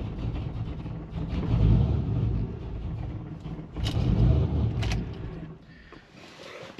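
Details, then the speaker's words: Pontiac GTO starting: catches and runs unevenly, rpm surging and sagging with a lumpy beat, then dies; owner suspects it may be missing on a few cylinders and checks the spark plug wires, cause unconfirmed. "so that's what it does it'll start it'll struggle and then it's cuts out"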